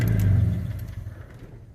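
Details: Old Ford with a Weber carburetor on an adapter and timing retarded, at operating temperature (gauge reads 210, about 185 actual): low steady idle, then switched off and dies within a second with no coughing or run-on. Clean shutdown.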